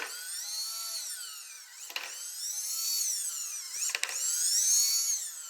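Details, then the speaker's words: DIY solar tracker rope winch, worm gear drive under load: high motor whine swelling and fading with rough catching bursts every couple of seconds; T-slot rail pulled back, leaving worm gear uncentered and grinding on the worm's smooth part. "Then I noticed that now not only was the worm gear uncentered again, but the whole T-lot rail had pulled back."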